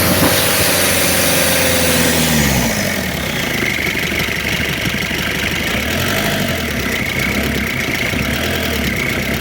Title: شريت هذا المحرك لسيارتي وجدت فيه صوت خشن او مرتفع.bruit moteur diesel - لا يصلح رجعه للبياع شوف غيرة